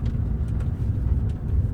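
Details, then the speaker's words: Jaguar XK8 driving after rear suspension work: steady low road rumble, no repeated rear clunks over bumps; the constant rear knocking is no more. "So I am pleased to report that that is no more. So it's going along lovely and smooth with no knocking."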